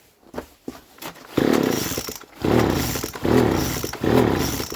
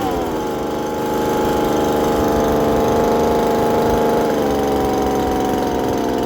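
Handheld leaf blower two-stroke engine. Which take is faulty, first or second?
first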